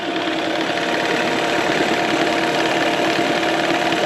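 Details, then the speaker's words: 1999 Mercury 9.9–15 hp two-stroke outboard after carb rebuild (gasket sealant removed), new plugs and water pump impeller: fires first pull into an even, steady idle with no misses, pumping water much better; normal running. "motor fired right up first pull it's pumping much better now"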